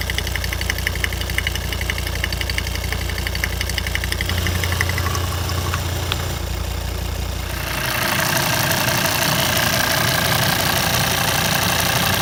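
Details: Volvo 136 kW engine at idle: steady light ticking, roughly three a second, over an even idle; owner unsure whether normal, cause not determined.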